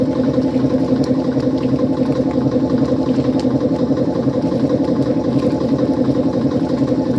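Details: 1955 Frigidaire Unimatic washer on a small load of whites, timer manually advanced for less water, pumping out dirty water; a steady, even churning hum with no knocks or catches: the pump running normally.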